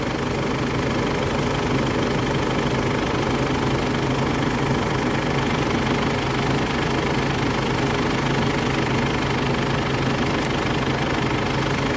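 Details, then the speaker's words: 2004 Ford Ranger at steady idle with AC compressor engaged and condenser fan rushing, pressure near 200; no knocks or squeals, fan working normally after AC system replacement with recommended added fan. "อ่าเดี๋ยวเรามาเช็คการทำงานของพัดลมกันนะคะตอนนี้คอมทำงานนะคะ"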